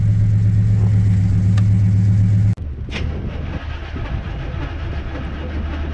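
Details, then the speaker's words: 1986 Chevy K10 carbureted truck, carb and choke recently tuned, sat about 1.5–2 months in a tarp garage, cold start at about -6°F with pedal pumped once: steady, even low rumble at idle, no misses, stumbles or hunting; normal cold start and idle. "way so the fact that it started that good actually makes me pretty happy sounds like a little tractor it's pretty funny"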